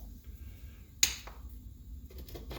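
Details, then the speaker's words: Shop-made automatic center punch, lathe-built, after bending a part to stop it binding: a single sharp crisp snap as the punch trips, then quiet; it catches and releases properly with serious power. "Oh my God. Holy cripes, that's got some power. Oh. Oh, wow. That's got some serious power."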